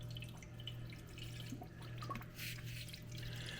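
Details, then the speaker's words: KitchenAid/Whirlpool/Kenmore refrigerator water dispenser after replacing the leaking water valve: irregular spitting and gurgling over a steady low hum as trapped air purges from the line; normal, and it then holds with no drips. "you can hear the air escaping right there we'll just let it keep coming so the air stops coming out"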